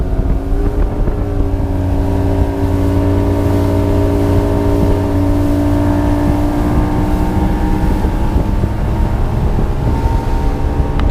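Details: 1999 Johnson 200 HP outboard (J200PLEEB) at cruising speed after replacing the fuel flow vacuum switch blamed for false alarms in chop: strong steady drone through light chop, even pitch, no stumbles or alarm; normal running.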